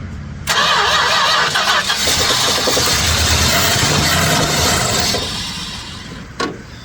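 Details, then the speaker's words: 1967 Chrysler Newport V8, sat for years, fuel not yet drawn from tank, carb primed: starter whirs briefly, engine fires straight away and runs evenly and strongly before easing down; starts and runs, vacuum line still disconnected. "That's a starter. It runs. She's a thirsty girl, isn't she?"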